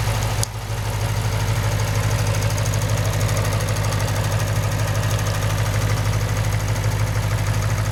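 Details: 2008 Lexus IS F V8 with 50k miles, steady idle with a light even tick, no misses or heavy knock; normal injector and valvetrain tick, common on this model.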